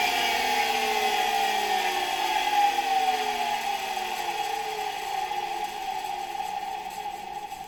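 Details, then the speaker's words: 1965 Alfa K2 vacuum cleaner, FAWOD Sk-5b motor, dirty and neglected, run on autotransformer: high whine winding down smoothly after switch-off, quiet bearings, little brush sparking, no grinding; motor runs normally. "The bearings aren't making much noise, and there's not much sparking in the brushes. Overall, the motor runs quite well"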